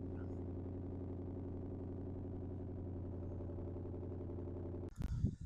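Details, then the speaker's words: Mustang, exhaust in normal mode: deep steady burble at idle and a light rev, even firing with no misses or ticks; sounds healthy. "So let's rev that up a little bit. That sounds nice."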